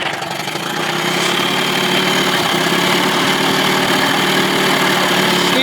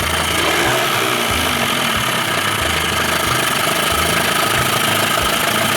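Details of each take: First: 2000 Johnson 25 hp two-stroke outboard, barely warmed up: low-speed mixture screwed in from about 2.5 to 2.75 turns until lean misfire sneezing, uneven stumbles in steady idle. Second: 2000 Johnson 25 hp two-stroke outboard on 13' Whaler, lean sneezing earlier; after resetting butterfly to timing marks and new used ignition parts, finally idles with steady even pulsing beat, though still a little sketchy; normal idle.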